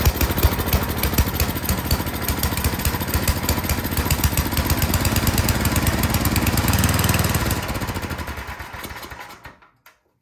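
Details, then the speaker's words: Toro Power Shift 824 snowblower after new spark plug, started choked and primed: small single chugs unevenly, note sagging, then fades and stalls; runs only on full choke, dirty carburetor suspected (no air filter). "Okay, we got it to start. That's good. It will only run on full choke though. So that tells me something's going on with the carburetor."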